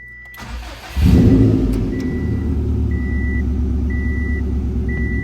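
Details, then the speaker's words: 2007 Subaru STI with the hood open, reported to have no blow-by and no overheating; the engine catches quickly and settles into a quiet, steady idle under a repeating chime, sounding healthy. "The motor's pretty quiet. AC works as it should."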